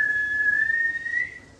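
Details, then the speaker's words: 2002 VW Jetta, 1.9L ALH turbo diesel, new turbo and custom stainless intake. A clean, high turbo spool whistle rises, then fades as the throttle closes; especially loud from the driver's seat. Normal turbo whistle. "from the outside it sounds like everything else you hear with a turbo but from the driver's seat the way it comes in"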